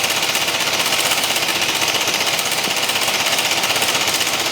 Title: BMW C1 200 engine clunky noise